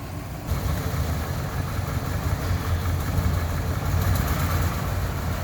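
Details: 1998 GMC Sierra brought back to running: engine catches and settles into steady, even low idle with no knocks, misses or hunting; sounds healthy.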